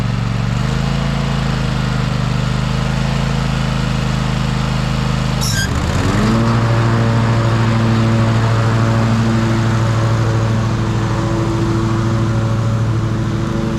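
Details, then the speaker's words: Ariens riding mower model 93606800/A25KH54 test drive after replacing a burnt drive belt that chunked on each pulley: steady engine hum, smooth tone shift pulling away, no banging; quiet and smooth; normal drive. "Well, everything seemed to work fine. It was good and quiet. So, that was the main thing. I could hear that belt making noise before and now it was good and smooth."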